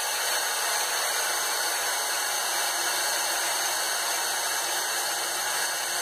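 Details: Harbor Freight Central Pneumatic 95275 3-gallon oilless compressor (100 psi max), bought non-working and repaired, after on/off switch rewiring: steady high-pitched motor whir with even hiss, no knocking or labouring over six seconds; normal running.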